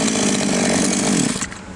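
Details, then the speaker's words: Chinese copy of a Stihl MS660 chainsaw that stalled on throttle, after the carb screw nearest the cylinder was opened another half turn or more: steady high revs without bogging, then a clean cut-off; runs normally. "образом, инструмент работает в обычном режиме. Мы завершили настройку."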